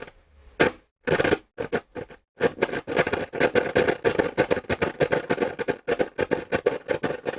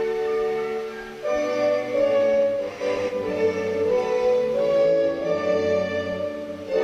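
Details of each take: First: Hacker Sovereign RP18 radio during repair: rapid, uneven bursts of scratchy crackle chopping in and out; noisy volume control, possibly with DC on the pot. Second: Hacker Sovereign RP18 radio after AF114/AF117 transistor work, playing through the wrong amp: clean, full orchestral music with no hum, crackle or distortion; sounds healthy.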